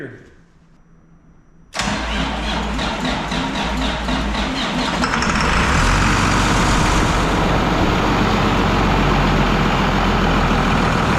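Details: Project truck diesel not started in a year, fresh oil just added: quiet, then the starter cranks in rapid even pulses for a few seconds before it catches and settles into a steady, solid idle; normal start.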